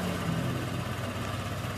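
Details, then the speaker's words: Honda Vario 125 scooter engine after full rebuild, first test run with idle adjusted, radiator cap off: smooth, even idle with steady low rumble and no knocks or ticks; engine running fine again. "Nah tinggal dicek aja suaranya sudah halus kembali beda dengan yang pertama kalinya teman-teman"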